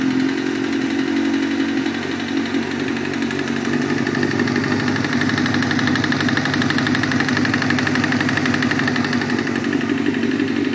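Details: 1998 Kawasaki ZX-6R four-cylinder running with a hard, deep knock in time with the engine, confirmed as a spun rod bearing.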